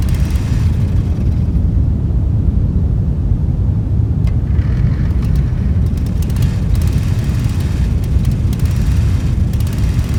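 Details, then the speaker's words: Old Dixon zero-turn mower, sat in the woods about a decade, running on its own fuel after a new tank fuel line. A heavy, uneven low rumble is cut by sharp crackling snaps, likely partly because the unconnected plug lead is arcing to the plug, so it runs rough. "actually i think i found part of the problem yeah i didn't connect that back up it was arcing to the plug"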